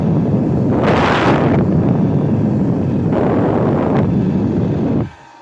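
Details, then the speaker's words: Homemade electric blower, newly built and wired, for forcing air into an evaporator fire, runs with a steady even air rush and low rumble for about five seconds then cuts off; working normally. "And it's plugged in, it's working. That's really blowing air there."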